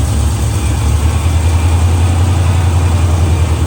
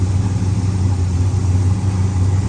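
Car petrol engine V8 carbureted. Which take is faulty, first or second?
first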